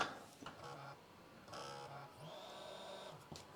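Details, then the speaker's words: Jasper-revision Xbox 360 DVD drive after drive repair, lid re-beaten and rails greased: soft tray whirrs and clicks, then a smooth rising spin-up whine with no scraping or grinding; normal operation, though it sounded bad last time once the label went on. "sounds happy at the moment but when I put the label on last time didn't sound so [Music] great"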